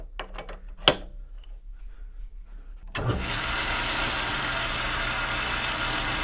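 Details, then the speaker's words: Rockwell Delta 6 in. tool grinder part being bored with a smaller boring bar and insert: a few handling clicks, then a harsh, steady scream with a faint ringing edge as the cut starts. Boring bar chatter, cause unconfirmed; the insert is turned to a fresh edge next. "That sounds terrible. Doesn't look terrible, but boy, does it ever sound terrible."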